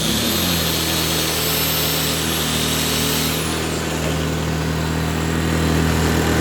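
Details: Blackridge 800 W inverter generator, bought used after sitting unused, running about 15 minutes on old, dirty fuel. Steady, even engine hum with constant pitch and no surging or stumbling; runs normally.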